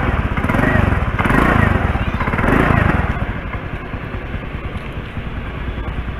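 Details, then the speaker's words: Honda Spacy scooter idling before repair with a leaking exhaust (knalpot bocor): loud, raspy chuffing at each firing pulse; to be compared after fixing. "nah ini motor yang saya gunakan ini bunyinya nih kalau knalpot bocor begitu percaya beda suaranya nanti kita akan bedain ketika dia sudah dibenerin"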